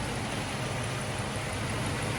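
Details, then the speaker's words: 1988 Mercedes 560SEC C126 that only keeps running on repeated starter fluid, fuel pump relay jumped, odd lights come on: uneven, wavering idle drone, slight vibration. Owner suspects an electrical fault, questions the idle control valve, not confirmed. "the idle is not smooth i mean it's not the engine is smooth it's not vibrating excessively just a little bit"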